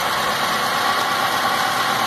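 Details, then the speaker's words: 2006 Stratus 2.0 with a misfire, shaking and lacking power: uneven, shaky idle with a loping stumble under the engine hum, a single-cylinder misfire traced to a leaking spark plug wire. "anda anda pues mal verdad como que mientras hay pérdida de presión pero para empezar vamos a identificar el problema no sé si alcanzan a ver el temblor nos falla bastante del rey no tiene fuerza"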